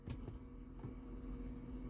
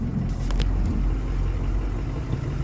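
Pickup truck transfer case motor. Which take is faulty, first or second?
first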